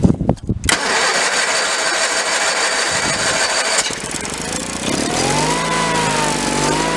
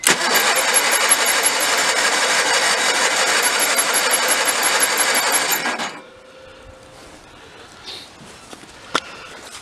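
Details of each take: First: 1985 Case Ingersoll 448 hydrive garden tractor, Onan twin B48M/B38M engine, after fuel line replacement and no-start: long cranking to fill carb bowl, then catches and settles into steady, even run while warming; fuel system pumping properly. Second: 1985 Case Ingersoll 448 Hydrive garden tractor, Onan B48M/B38M twin, no-start after fuel line replacement: on starting fluid sprayed into carburetor it fires and runs fast and even about six seconds, then dies; fuel pump suspected of not supplying fuel.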